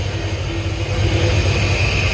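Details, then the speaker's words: Cammed 6.0 LS with Edelbrock Pro-Flo 4 EFI in an 85 Chevy K20, first start, running without a thermostat after a bad one caused overheating: deep, lumpy, steady idle with no knocks or ticks. Normal idle. "Super excited. It just runs great."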